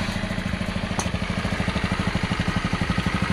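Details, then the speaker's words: Honda Beat scooter, kick-started after piston, rings and seals replaced for oil burning and white smoke: quick, slightly uneven idle thumping; slightly rough because tight new rings are still bedding in. "Jadi masih agak sedikit kasar ya, karena proses pergesekan antara ring piston dan buringnya masih padat dan masih rapat."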